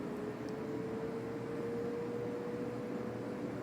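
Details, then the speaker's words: Vintage Galaxy Wind Machine fan, before cleaning and disassembly, tried on low, medium and high: quiet airy rush with a faint hum creeping up in pitch, never reaching full speed; barely works on medium, not really on high, very short spin-down; motor running slow. "Doesn't really work on low. Let's do medium. It kind of works a little bit on medium, and then doesn't actually pick up until high."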